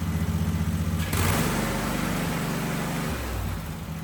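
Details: Husqvarna riding mower (likely a 2554, barn find) starting after fuel filter change: brief hiss, then catches and settles into a steady regular beat without misses; slightly smoky, possibly from sitting; running properly.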